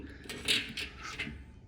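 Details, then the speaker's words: Kawasaki Zephyr 750 petrol tank being shaken: loose gritty rattling and tinkling of rust flakes sliding around inside; interior rusty, needs cleaning before petrol goes in. "Oh, it's not good in there, is it? If I shake the tank, everything's rattling around in there."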